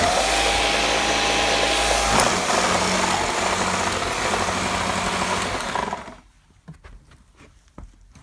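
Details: Gtech AirRam K9 cordless vacuum with temperamental switch and battery issues: high motor whir with rough rumbling rattle underneath that drops away at shutoff; always present, progressively worse; motor running rough, cause unconfirmed.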